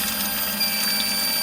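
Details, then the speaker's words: GTO in-tank fuel pump (old pump reinstalled), tested after drilling holes in the stock bucket so fuel can enter and it isn't sucked dry: steady even rush of fuel with constant hiss, no surging or drop-off; normal full flow. "as you see the pump is still flowing like it's supposed to still going so drilling the holes in the bucket worked"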